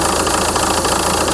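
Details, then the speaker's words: 2004 VW Touran 2.0 TDI 136hp AZV diesel, warm idle: slightly uneven beat with small dips, unstable idle with surging; owner diagnosed fuel system losing prime via leaking tandem pump seal, after EGR valve and throttle body replacement failed. "voà j'ai attendu un petit moment mais regardez le fameux ralenti instable et lesou qu'il y"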